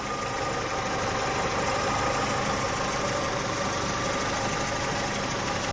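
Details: Petrol engine idling smoothly and evenly after replacing the faulty hydraulic lifters (tappets), with no ticking or tapping from the top end.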